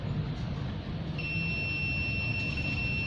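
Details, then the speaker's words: Oppo F1S phone, totally dead, battery supply line tested with a multimeter in continuity mode: a steady high beep sounds instantly between positive and ground, showing a dead short circuit on the battery supply line. "bip, itu berarti kutub negatif bertemu dengan kutub negatif. Jika berbunyi seperti ini, berarti pasti terjadi korsleting total, teman-teman."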